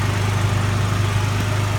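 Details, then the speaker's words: Toyota Tacoma one week after a dealer frame replacement: steady idle with a strong low rumble and rapid puffing chuff, an exhaust leak present since day one that the owner believes was never checked on the hoist. "Real good exhaust leak. I'll take it back to Toyota and get that fixed."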